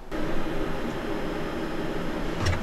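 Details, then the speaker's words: Chinese diesel heater in a van, with a new fuel filter and wiring run directly to the battery, fired from the remote. A low, steady fan-like hum settles in after a soft start. "it kicked on we'll see if there's white smoke"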